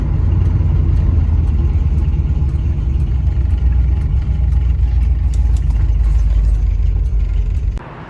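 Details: Flood-damaged 1979 Chevrolet Camaro Z28 V8 after a short drive, still not at operating temperature, slight sputter on take-off: even, deep rumble holding steady with no misses or knocks; good running, normal idle.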